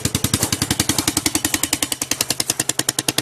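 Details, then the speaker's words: Chinese 125cc Baja Dirt Runner dirt bike after the restored exhaust pipe was refitted; sharp, loud popping puffs about 3.5 per second at idle, raw chuffing from the head; exhaust leak at the port, pipe not seated properly, owner suspects something upside down. "Yeah, that's not in there properly. I think I might have something upside down."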